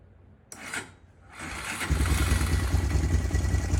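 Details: Honda Recon TRX250TE4 ATV, unrun over a year, first start after carb cleaning, fuel flush and valve adjustment to cure ticking: catches quickly, steady even low thump about three beats a second, no top-end ticking; healthy idle.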